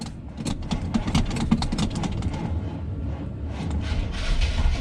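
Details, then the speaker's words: 1976 GMC C15 Squarebody, abandoned in a pasture: slow, labored, uneven cranking that never catches. The weak battery can't spin the engine, and it later runs after a charger boost. "let's see if the old Bad Chad Square fires up. Pretty slow moving."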